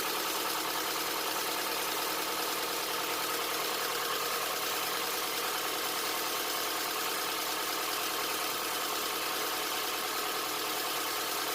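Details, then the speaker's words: 2007 Honda Accord, first start after a Melling timing chain kit and valve lash adjustment, not yet at temperature. Even, steady idle with light, fast valvetrain clatter and no knock; no check engine light, sounds good. "Sounds good, no check engine light."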